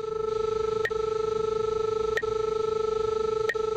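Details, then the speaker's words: SR-20/SR-24 line locator receiver tracing a line: steady electronic tone with a sharp ping about every second layered on top, the audio cue that the signal lies to the left. "when the signal is on your left you'll hear a pinging tone along with the normal"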